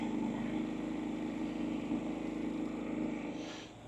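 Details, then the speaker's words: Harbor Freight Predator 3500 inverter generator after about 15 minutes of exercise running: low, steady, even hum, barely audible, no knocks or surging, then winds down and stops when shut off; runs smoothly. "so you almost can't hear it so quiet"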